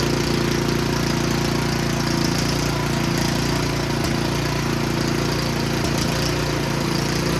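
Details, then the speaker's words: Snow blower small engine, just bought used, chugging unevenly with loose irregular beat; runs rough, cause undiagnosed, later seen puking thin oil from the PCV breather, owner wonders if overfilled with oil. "and I'll come back and revisit this because it may take a little longer than I anticipated to diagnose why it runs like that"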